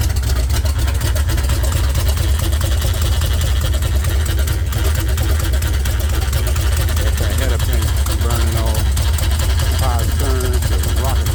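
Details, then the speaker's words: Chevy 454 swapped into a 1971/72 Pontiac LeMans, first start on open headers, foot off the gas: loud, lumpy, stumbling V8 rocking hard, a misfire. Owner suspects plug wires were crossed while the headers were off, likely on cylinders 1 and 2. "That's not a good look. Not sure why she rocking so hard."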